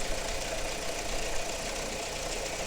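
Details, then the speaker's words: Car engine just after start, neglected oil changes: busy, loud metallic rattle over steady idle, timing chain rattle; suspected failed tensioner, boost pressure sensor B5/31 unplugged. "I'm just imagining it but I can definitely hear a rattle coming for there now this car is suffering from timing chain rattle"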